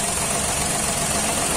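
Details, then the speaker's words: 2013 Daihatsu Xenia 1000 with DTC P0303 (cylinder 3 misfire): engine suddenly runs rough, check engine light on, power lost, engine shaking; uneven stumbling idle. "mesinnya tiba-tiba pincang dan c-nya tiba-tiba nyala tenaganya hilang ya mesinnya goyang langsung kegiatan mesinnya goyang"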